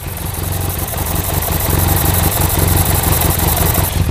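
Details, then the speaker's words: BMW F800GS twin idling roughly with a faint sucking hiss near the engine, a lean misfire caused by a faulty vacuum hose; the fitted Scottoiler takes a vacuum feed off the inlet manifold and was suspected. "Now it's got, I don't know whether you can hear, it's got a really rough idle."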